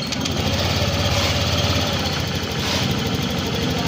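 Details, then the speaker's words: Honda Click 125 v3 scooter, 4575 km, after repair (block and piston replaced for excessive sidewall clearance, connecting rod kept): engine idles smoothly and quietly, the earlier knock gone. "y Okay na siya wala na tayong Naririnig na kalantog ayan wala na siyang ingay mga wala na yung kalantog na naririnig natin Ayon tahimik na tahimik na"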